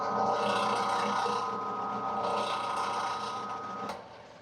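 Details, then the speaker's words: Lathe turning a valve from a 1978 Honda CB750 engine at about 70 rpm to check for bend: smooth, steady whir, even rhythm about four beats per second, no knocking, clean spin-down; noise was a false alarm, loose grub screws, nothing wrong. "False alarm. There's nothing wrong with it."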